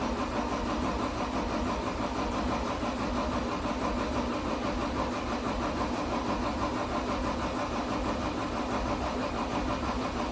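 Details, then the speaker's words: 2012 John Deere 333D skid steer with a reman long-block diesel at first fire: it turns over steadily on the starter despite ether but never runs; crank, no-start, with air in the fuel system suspected. "this was diesel cck I just hos this whole thing down with a case of ether and uh wonder why I didn't pick up fuel"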